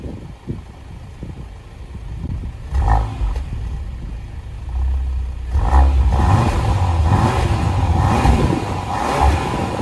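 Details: 2020 Porsche Macan base, driver-side muffler after replacing loose exhaust valve springs: several clean revs rise and fall with deep growl, no metallic banging. Exhaust now normal, rattle fixed.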